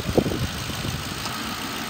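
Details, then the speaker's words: 2010 Ford Crown Victoria Police Interceptor, 142,000 miles, at idle: lumpy idle with uneven low thump breaking the rhythm, also misfires and won't rev steadily on acceleration; slight misfire at idle. "it has a slight misfire on idle and when you accelerate it you can feel misfire it doesn't rev up steady"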